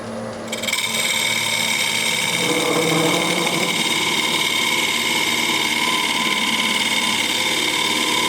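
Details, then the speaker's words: Cherry bowl blank, about 9-1/2 in, held on the lathe by hot melt glue instead of a four-jaw chuck, during hollowing. Steady high-pitched drone with a rough buzzing flutter as the tool cuts: chatter from the glue-held bowl vibrating, sounds worse than it is. "so you hear the vibration you wouldn't get that on a four jaw chest but with hot milk glue in a bowl this size it does somewhat it sounds a lot worse than it actually is"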